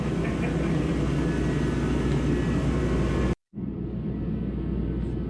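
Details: Heater fired up while working on a Powerstroke diesel Bronco in 18-degree cold, after gelled fuel and a no-start; a steady, even low roar of the burner with no sputtering or pulsing once it catches: normal running.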